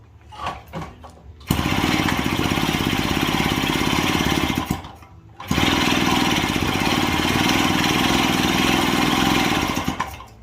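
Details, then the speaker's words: Daelim Trac moped two-stroke engine on first run after inspection, exhaust removed, oil feed open and suspected air leak: raw, loud, rapid crackle in two short bursts with a pause between; harsh, louder exhaust note with no exhaust fitted. "I guess because the exhaust is off, it sounds a little louder."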